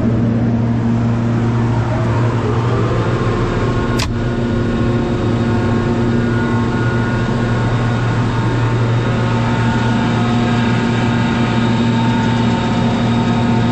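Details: Kaeser DS200 150 HP rotary screw air compressor, 1990, 480V 3-phase, 700 CFM 125 PSI, 56,834 run hours, new oil and filter: steady low hum with constant whine, even throughout; runs normally.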